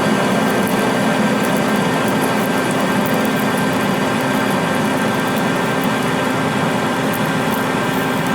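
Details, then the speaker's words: Lathe parting cut with Accusize QTR 22 parting tool kit in 303 stainless at 180 rpm under power feed, no lube, fair stick-out: steady even cutting hiss and hum, no chatter or squeal; normal clean parting cut. "303 stainless power right through it without even having any issues whatsoever"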